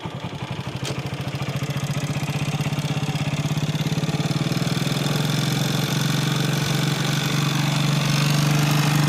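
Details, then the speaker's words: Motorcycle (Hero Glamour) single-cylinder, kick-started, idling with a loose rattly clatter: worn cylinder bore, with some smoke; a light crank noise is also present, clearer when riding at 20–40 km/h, so a full engine rebuild is needed. "ఇంజిన్లో sound విన్నారా, bore sound వస్తుంది. బండి almost సరైన కూడా smoke వస్తుంది."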